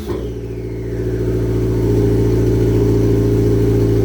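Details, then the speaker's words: New cheap eBay T3/T4 T04E .48 A/R turbo on EM2, installed for faster spool, oil-primed before start, exhaust not yet bolted up: engine revs while faint whistle builds, no grinding or rattle; normal turbo spool. "all right so turbo spins sounds pretty good I think I can hear the spooly noises"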